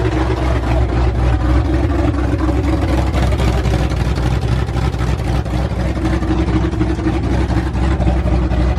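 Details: Ford F100 V8 with new aluminum heads, first start on open headers without a cooling system: loud deep even rumble, no valvetrain ticking, everything sounded really good.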